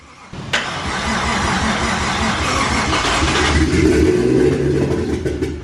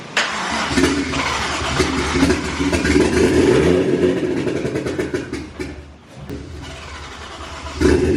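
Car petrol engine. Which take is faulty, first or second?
first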